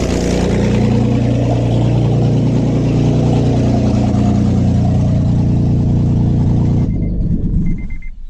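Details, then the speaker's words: 3rd-gen Acura TL Type S with the catalytic converters and O2 sensors cut off: a loud, deep, rumbling idle with a raw exhaust note until shutdown, caused by the missing cats. "yeah no cats obviously that's why it sounds like they cut off the ot sensors"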